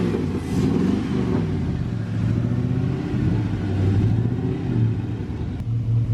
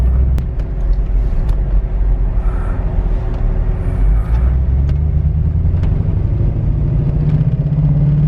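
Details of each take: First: LS-swapped Suburban after replacing a twisted piston and rod, new cold air intake: low, even V8 burble with steady firing, no knocks or ticks; idles smooth and quiet, healthy. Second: LS-swapped Suburban after piston and rod replacement, on test drive: low, lumpy, uneven V8 rumble with stumbling beats and sagging revs, near stalling; feels like a dead cylinder, fuel pressure being checked, cause not yet found.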